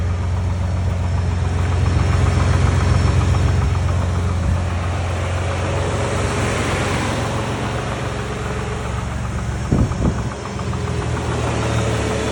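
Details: 2019 Shelby Baja Raptor at idle: a steady low idle with a regular knock about three to four times a second, coming from the engine bay. Cause unknown. Knocking noise at idle.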